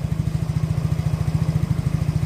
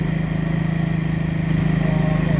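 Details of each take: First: Yamaha Mio J scooter, cold engine, idling evenly with a steady low thump; the idle speed is normal. The complaint is hard starting, hesitation and stalling off throttle, and the injector had already been replaced. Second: Yamaha Mio J fuel-injected scooter, injector already replaced without cure, hard starting and stumbling, held on steady throttle during a data check: slightly uneven, lumpy beat, won't idle on its own and stalls when released; fuel pressure reads normal, cause unconfirmed.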